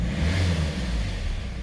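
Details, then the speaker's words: 2015 Hyundai i30 diesel with engine cutting-out problem, long unserviced: once warm, picks up cleanly on a single blip and settles without stalling; owner suspects clogged fuel filter causes cutting out after sitting about 10 seconds. "basically start it up it starts up running everything rev it once it's staying running this time when it warms up it's"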